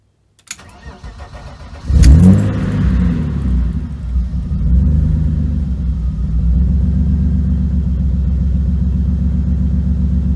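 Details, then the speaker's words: Cold start of a BMW E36 with manual swap, unstarted for a couple of days, in neutral: catches after brief crank, then uneven lumpy idle with wavering beat; owner suspects leftover fuel or spark plugs. "A little rough. Rough. Something's not happy. It could have just been because I started it a little bit."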